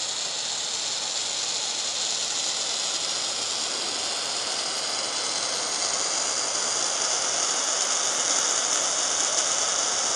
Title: VERY LOUD NOISE HISSING FROM STEAM HEATER ANTIQUE